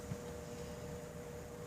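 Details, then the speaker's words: Broan (made by Alaska) 52" ceiling fan on solid-state speed control, drawing about 0.26 A: low steady hum with a faint even tone, no buzzing or ticking, bedroom quiet. "is 0.26 little buzzing heavy quiet I'd almost call bedroom quiet"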